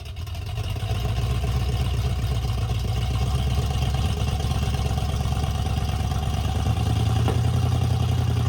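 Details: 1978 Ford Bronco V8 after sitting decades, with new intake gaskets and a carb rebuild (broken needles on over-tightened mixture screws), just started cold: deep, loud rumble settling into a steady fast idle with even pulses, no knocks; running healthy.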